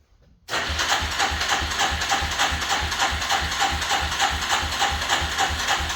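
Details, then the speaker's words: 1985 Suzuki LT300 quad after starter repair, sat a couple of weeks, in neutral: catches after a short pause and settles into an even, quick putter with no misses or clatter; running again. "I really appreciate everybody following along, getting this little bike up and running again."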